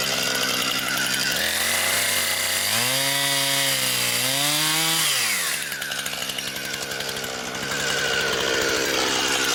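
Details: Brand-new Husqvarna 460 Rancher chainsaw, first run, cutting wood. Crisp high two-stroke scream dips and recovers cleanly as the chain bites, with strong, smooth cutting and no bogging. Healthy saw cutting normally.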